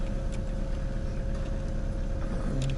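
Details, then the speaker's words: Ford Focus 2 after alternator belt replacement, idling with high beams, rear and windshield heaters, A/C, full heater, hazards and wipers on: even hum with no chirp or squeal, new belt gripping fine. "Давайте проверим ещё раз. Всё работает. Ремень не свистит."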